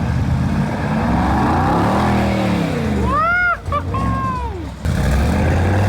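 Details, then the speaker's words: Rebuilt wrecked 2022 Mercedes G63 V8 after codes cleared and out of limp mode, a part reseated with new one ordered; deep note revs up and drops back cleanly, no stumble or hesitation; crisp, healthy. "Now that's some German engineering right there. Right now it's better, a lot better. Oh yeah, sounds so crisp and clean, sounds healthy."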